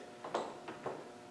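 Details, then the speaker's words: Land Rover LT230 transfer box rebuilt and turned by hand on a test bench: a few light metallic clicks, ordinary gear and diff backlash chatter with a little slack that all of them have, nothing wrong. "now there always is going to be a bit of chatter right there that's that's the gears chattering and the"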